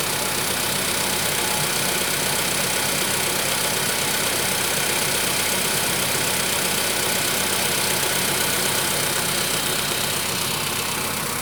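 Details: VW Polo Sedan 1,000 km after piston replacement: steady idle with quick, fairly even tapping about four per second; engine knock of unknown origin.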